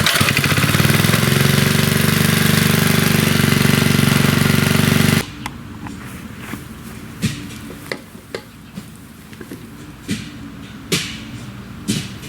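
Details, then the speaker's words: 40-year-old Briggs and Stratton single-cylinder engine after repair, running with the air cleaner off. An even, fast bark that holds speed for five seconds, then shuts off cleanly; it runs healthy. "Anyway, I'm going to give this guy a clean bill of health. I think it's running just fine. Everything works."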